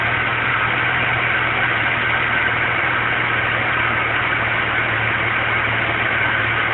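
Low, uneven idle with a constant deep drone and an irregular shake underneath; the engine idles rough, cause unknown.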